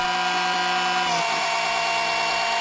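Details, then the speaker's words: Electric oil extraction pump, suction hose down the dipstick tube of a tipped-back Briggs & Stratton HP470/SP470 mower engine, pumping into waste collector. Steady high-pitched whir with sucking change as oil comes up; normal pump operation. "then it's just a case of running the pump and the pump pumps out into this waste collection here"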